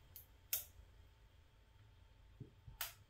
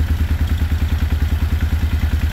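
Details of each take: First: 1995 Suzuki Intruder 800 revived after 13 years of storage, with an electric fuel pump; quiet clicks, then one short sluggish crank burst that never catches because the battery lacks enough charge; slow cranking from a weak battery. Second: 1995 Suzuki Intruder 800 V-twin after 13 years stored, idling unassisted once battery works: steady even loping thump around eight beats a second, no clatter or misses; a large exhaust leak noted, carbs out of sync. Normal running.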